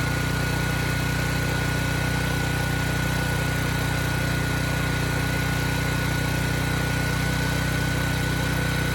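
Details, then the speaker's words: Generator model 030471-01, stored 5+ years, was putting out only 35 V and now repaired to 120 V at proper engine speed: steady, even drone with a faint whine, no misses or surging; normal running. "So now that we have proper voltage, proper engine speed, I'm gonna start it up, throw 3000 watts on it, make sure things stay good."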